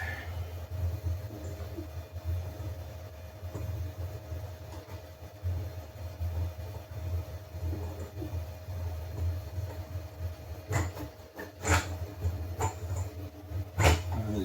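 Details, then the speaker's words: Anycubic Kobra 3 v2 Combo printing PETG on first test print before firmware update: steady motor hum with faint scraping and sharper scratchy bursts as the nozzle drags over the textured plate, Z set way too low. "Heck, that sounds a bit rough, doesn't it? Not you, folks. But it sounds like the nozzle's dragging over the textured plate. which tells me the Z is way too low."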